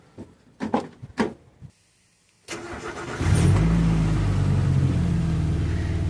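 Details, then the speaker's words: 1996 Suzuki X-90 on cold start: deep, uneven rumble at idle, heavier than stock; owner suspects a hole in the exhaust, previously repaired at the rear; cause suspected, not confirmed. "yes it's definitely grumbling away a bit so there's some sort of hole in the exhaust"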